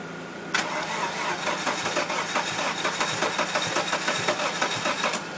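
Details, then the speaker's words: 1998 Dodge Neon, battery jumped, broken coil connector found: starter cranks in a fast even beat with occasional catching bursts but never runs on its own; owner suspects timing is off or something in the cylinder, unconfirmed. "keep going catching he doesn't want to do it sounds like it's off time"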